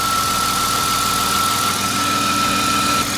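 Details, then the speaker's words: BMW E46 coupe, M54B22, warm idle after fixing vacuum leaks and fuel issues, no insulation or air filter: fairly steady drone, thin whistle and faint irregular rattle; runs better, misfire not fully resolved, cam and crank sensors still to replace. "it's running a lot better than before keep in mind that this audio clip was without insulation so there's a lot less noise when everything is reinstalled also the intake noises are not muffled because there's no filter"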